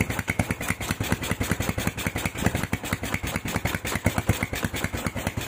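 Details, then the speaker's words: Honda Tiger stock engine with PWK 28 NGO carburettor, stock JJY needle on middle clip: hissy idle with RPM hanging high, exhaust pops after throttle release, hiss on opening; hanging idle with carburettor hiss, tuning suspected, not confirmed. "Dari stasionernya itu suaranya ngeses, tapi RPM-nya itu gantung. Begitu digas, dilepas gasnya itu ada letupan di knalpot, ada letupan di knalpot, RPM gantung, tapi gasnya itu dibuka ngeses langsam."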